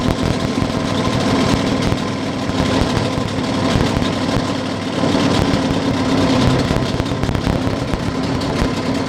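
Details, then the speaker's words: Yamaha 9.9 outboard motor, carburetor not yet adjusted, mixture screw two turns out from seated, started on full choke: busy, slightly uneven two-stroke buzz, rich and unsettled; rough running on choke. "I know that the motor is not adjusted, I start it on a closed choke so as not to pull the starter for half an hour."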